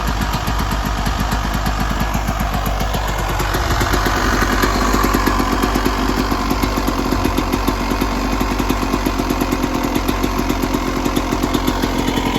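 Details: 1996 Yamaha YZ250 two-stroke after carb tune-up for rough low-end idle (pilot jet suspected), restarted after coolant top-up, still a little cold at about 13 degrees: crisp even idle into steady revving, no misses; healthy engine.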